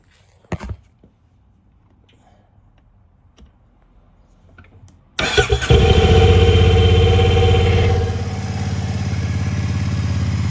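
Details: Speedmaster cranks and catches quickly, settling into a steady, even idle with a soft exhaust note after fitting used pipes from another bike; much quieter than the old broken-weld pipes; healthy running.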